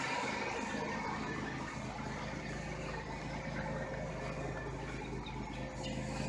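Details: 1997 Buick Regal GS supercharged, with new plugs and wires and cleaned MAF and IAC, cold start: starts right away into a steady, even idle hum with smooth low drone, no knocks or misses; normal idle.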